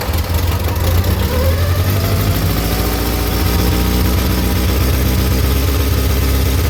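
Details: VW Mk2 Golf four-cylinder, first run in 20 years, cold morning around -2 °C, fuel fed manually: steady deep rumble settling into an even idle with no knocks or misses; engine running fine.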